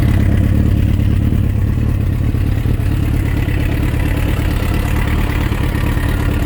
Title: Suzuki Rf900 Engine Knocking Sound Issues